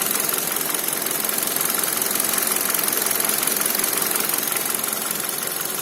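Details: Kia Cerato 1.6 engine at idle: sharp, fairly regular tapping about three knocks a second over a thin idle; owner unsure whether chain or pistons; engine knock.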